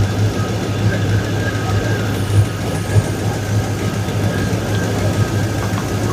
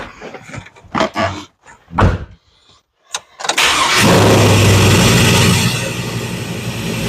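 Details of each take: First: 2002 Chevrolet Silverado, after transmission and new Y-pipe install: rough idle with uneven puffing tick over low exhaust rumble; exhaust leak, owner suspects a V-band clamp not seated all the way around. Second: 2002 Chevrolet Silverado, cold start after the transmission, starter, driveshaft and V-band Y-pipe exhaust were installed: after a few knocks it fires into a fast, even cold idle with a tight exhaust note; the exhaust leak is gone.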